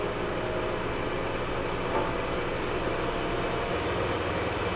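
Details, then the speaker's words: LG WM0642HW front-load washer in diagnostic test mode, empty, at top high-speed spin RPM: steady even rushing hum with no squeal or rubbing; normal high-speed spin while diagnosing a squealing complaint. "so right now we have achieved our our highest RPMs on the the high-speed Spin and I don't hear any noise right now"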